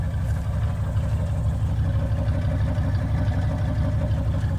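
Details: OBS GMC Yukon running on a relocated two-door gas tank: low, even rumble at about three pulses a second, steady with no ticks or stumbles; normal idle.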